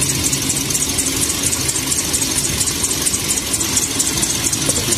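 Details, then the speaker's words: Toyota Vios idling: a constant high-pitched squeal sits over the engine, steady with revs; the main serpentine drive belt is squealing. "Nó nổ đó để cho các bạn nghe cái tiếng kêu của nó nha rồi mình sẽ hướng dẫn cho các bạn làm thay cái dây curoa của nó nha"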